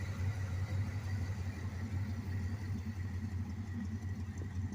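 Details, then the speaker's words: Beater carbureted V8 with fuel line clamped off, fuel bowls emptying and air-fuel ratio leaning out: lumpy uneven idle, loping pulses about three a second with dropped beats, like running on two cylinders; lean misfire from fuel starvation. "I don't know how that thing's still running, frankly. Sounds like it's running on 2 cylinders."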